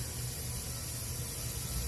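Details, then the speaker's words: Powerstroke diesel truck boost-leak test with a Power Driven Diesel tester, engine off: a steady, unbroken hiss of pressurized air escaping through a rusted-out hole in the charge pipe underneath. Boost leak. "the only thing that's Rusty underneath of this truck is this charge pipe and it's got a hole in it"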